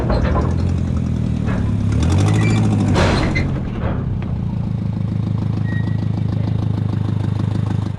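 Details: Junkyard car being readied as a bump-and-run race car: uneven loping idle with irregular stumbles, a misfire at idle; shifts into gears; owner plans to swap the upper coil pack brick hoping the misfire goes away.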